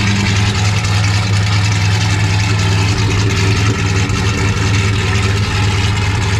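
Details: Foxbody Mustang project car V8 with a freshly installed drivetrain and off-road H-pipe exhaust: deep, steady, even idle burble, no ticks, misses or knocks; burning residue off the exhaust manifolds, clutch fan not connected, timing not yet set, possible exhaust leaks.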